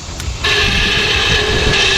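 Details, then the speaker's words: 1970 Chevrolet C10 A/C blower motor, removed and bench-tested with jumper leads from the battery: spins up instantly to a loud steady whirring whine with a rough, scratchy edge; blower motor bearings are worn out, to be replaced. "even better hear that so while it's working the bearings are gone in this thing"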